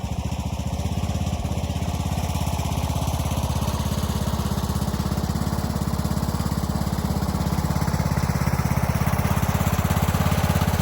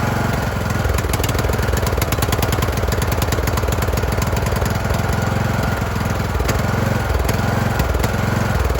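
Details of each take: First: Craftsman YT3000 riding mower with donor replacement engine and carb, after oil change, deck remounted, blades engaged: even, steady firing beat with no misses or knocks, picking up slightly at the end; runs cleanly, transmission solid. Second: Craftsman YT3000 riding mower: loud single-cylinder putter swelling and sagging unevenly at idle while choke is manually adjusted to smooth it; engine surging (hunting idle).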